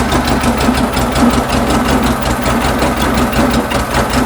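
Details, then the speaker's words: 1974 VW Beetle flat-four with dual 34 carburetors and points ignition, before tune-up: idle wavers and lopes with uneven pulsing beat; carbs unsynchronized, sync tool reads 5 on one and 10 on the other. "five on that one get in there and 10 on that one they're not even close"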